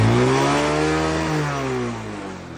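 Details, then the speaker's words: Honda Wave DX 110cc motorcycle, started first try, revving: clean rev up and smooth drop back, steady even note without knocks, rattles or misfires; no vibration noise, no smoke; healthy engine described as accident- and damage-free. "Getar tak ada bunyi, asap tidak keluar."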